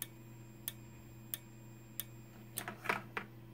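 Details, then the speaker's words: Simplex 4903-9219 strobe, 60 flashes per minute, just before being shut off: crisp ticks roughly every two-thirds of a second over a faint constant high whistle from the capacitor; strobe charging and flashing normally. "you can hear that high pitch whistling constant beep noise from the capacitor that's in there yeah you could hear the capacitor that's in it"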